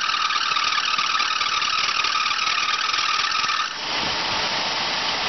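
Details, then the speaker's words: 1984 Oldsmobile Ciera convertible with feedback carburetor, started after long storage; engine has burned crankshaft and rod bearings. Steady high squeal over idle, then cuts off: loose, slipping alternator belt, later tightened. "This has the old feedback carburetor system. Sounds like the belt's loose."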